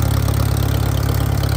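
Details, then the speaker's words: Farmall M tractor with loader, live hydraulics and power steering: rough, loud, deep idle thumping with a raw exhaust bark and nothing damping it; loud exhaust, apparently missing its muffler. "It's got power steering that works really nice. Sounds like it needs a muffler, but hell,"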